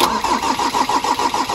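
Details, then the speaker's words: Ford Transit diesel engine on the ground after injector pump replacement: starter churns at about seven even pulses a second with no firing; won't start from air in the fuel system, needs bleeding. "no she won't even cranky yet okay no that didn't work we're going to we're going to have to go bleeding"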